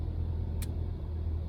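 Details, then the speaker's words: MK6 VW Jetta with a P0301 cylinder 1 misfire, EPC light on and in limp mode, started after replacing the cylinder 1 part: a steady, even low idle rumble with no sputter, sounding better; the code is not yet cleared. "but as it sounds the car sounds pretty good as you guys can hear"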